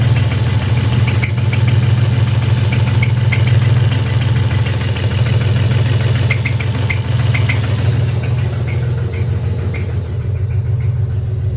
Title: Possible spun bearing M52B28